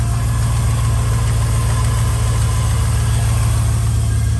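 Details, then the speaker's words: 2001 Chevy Silverado 1500 5.3L V8 after sealing a cracked EGR tube exhaust leak with gasket maker: a steady, deep idle with an even low rumble and no ticking or puffing. Earlier it had an idle misfire with bank 1 and bank 2 lean codes. "Moment of truth. Oh, not good. sounds like no more exhaust leak to me, baby."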